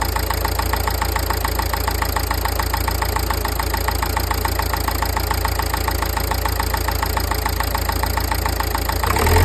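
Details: Nissan Qashqai 1.5 dCi diesel: steady idle with hard regular clatter three to four ticks a second over deep hum; owner wonders about injectors or turbo, source unclear.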